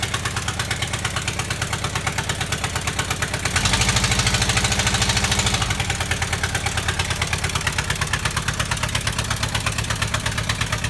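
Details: VW Type 25 (T25) van being rebuilt, after a battery and battery earth replacement for slow cranking: catches and settles into a steady, even idle with a brief rise in revs, a regular firing beat, no hesitation or misfire.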